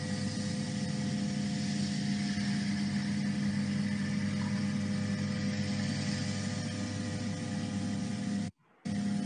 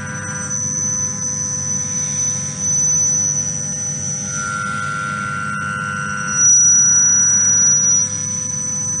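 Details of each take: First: Stable milling cut on a lightweight tube structure, monitored by a sound sensor: steady even hum with constant low tone and no shrill squeal, sound pressure about 0.05 Pa versus 35 Pa during the 5,800 Hz tool chatter; normal stable cut. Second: Milling a thin-walled tube: a piercing, steady high squeal at 5,800 Hz rings over the cut, which a sound sensor identifies as chatter from the cutting tool.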